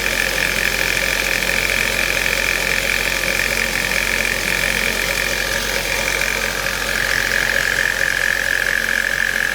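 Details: Ford Mondeo 1.8 petrol at idle: faint, fairly regular light tapping over a high hiss, strange noise from the engine, cause unclear.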